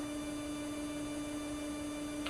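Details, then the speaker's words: Anycubic Wash & Cure station with its spin motor run without the wash tank fitted: a clean, steady hum at one pitch with no knocking, wobble or grinding. The motor sounds fine; the vibration occurs only with the water-filled tank on. Normal motor run. "this this portion of the unit sounds fine seems to be the wash tank that's got the issues"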